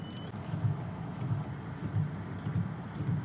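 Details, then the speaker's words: Volvo S60R (P2 chassis) while turning the steering: dull low clunks from the driver's-side front suspension. Receipts show one control arm was already replaced; the owner suspects this side's control arm or bushings are worn. "The left side here, the driver's side, has a clunk in it, and of course there's receipts for one control arm being replaced."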